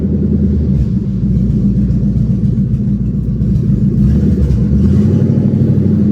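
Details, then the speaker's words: Ford Mustang drift car with the H-pipe removed, running on open pipes: loud, deep rumble with a lumpy, uneven, bubbling beat, as if missing badly. Misfire suspected, not confirmed. "Dude, this thing sounds like it's missing its ass off. What the frick?"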